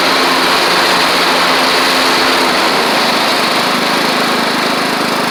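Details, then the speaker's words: Troy-Bilt Horse XP on a replacement engine, cutting passes after an overnight sit; it didn't want to start that morning. Steady, even single-cylinder drone holding speed under cutting load, no misses or surging. Healthy normal running under load. "I'm going to show you that it runs and drives and cuts like it's supposed to now."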